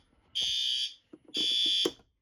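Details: Fire alarm system test: two harsh, high-pitched horn blasts about half a second each with a short gap; the horn strobe is sounding properly.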